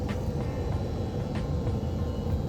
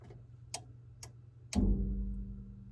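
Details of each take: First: Aquatherm air handler fed by a Bosch combi boiler, blower fan driven through a newly wired relay on a G call: steady, even low rumble with no knocks, rubbing or surging; normal blower operation. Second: Bosch Greenstar combi boiler with First Company Aquatherm air handler not heating; three sharp relay clicks, then a fourth briefly bringing in motor hum, blower only bumps and stalls; technician suspects bad control board relay, unconfirmed.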